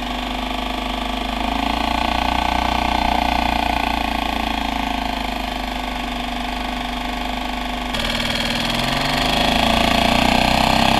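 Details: Suzuki 2.5 hp outboard after JB Weld repair of broken water pump tube and new pull-start rope, test run with water flowing: steady even buzz, slight pitch change near end, no knocks or stumbles; running healthy.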